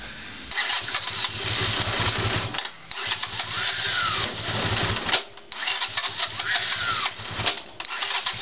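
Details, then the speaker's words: Honda CX500 cranking after carburetor installation. Bursts of high screaming from the starter motor, not the engine, with heavy clunks as the engine kicks back because ignition is poor. "you'll hear a screaming sound that's from the starting engine that's not the engine itself that's only the starting engine you are knocking on clock sound that's when the engine is turning backwards because there is not a good ignition"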